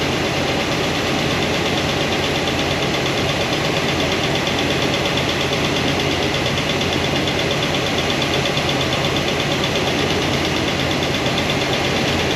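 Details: New Comp Cams hydraulic roller cam and lifter combo after break-in, valve covers off at steady idle: light, quick tick at about three per second. It returns at number 7 exhaust after poly lock adjustment; little oil flow there, and the noise won't adjust out.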